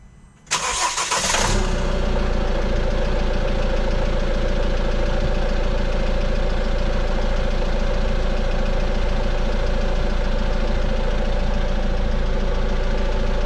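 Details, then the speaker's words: 2015 Peugeot Boxer 2.2 HDI diesel campervan, 130,000 on the clock, started after timing chain replacement for a noise: fires quickly and settles to an even, steady idle with no rattle; engine sounds healthy. "so the engine's actually running and uh i'll just uh start up and let you have a listen"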